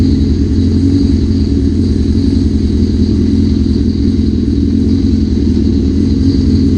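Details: 1981 Suzuki GS650GL four-cylinder, first start after rebuild with new battery, plugs, oil, filter and pod filters, fuel petcock on primary, on choke: steady even idle, low drumming beat, no knocks or misses; a small carb fuel leak is suspected.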